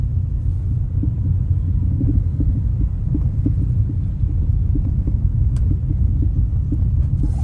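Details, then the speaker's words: Car driving on road after both leaking air-bag shocks were sent out for piston replacement: steady road rumble with short dull knocks every third to half second over the surface, owner says the shock is still making noise. "इसकी आवाज होती है जो शौक इसका आवाज कर रहा है ना। ये इतनी बुरी लगती है।"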